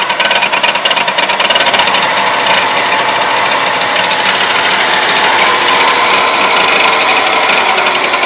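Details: Engine driven about 2 miles with oil very low, main and connecting rod bearings since replaced: steady light rapid knocking about three a second with high clatter persists; owner suspects cam bearings, unconfirmed.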